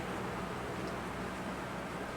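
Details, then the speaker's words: Early-2000s Lasko 3515 Air Companion fan, dusty motor, first run: smooth even airflow rush with a steady low hum, no rattles or ticks, very quiet and strong; normal running. "Oh wow, that's pretty good. It's very quiet and it's very strong."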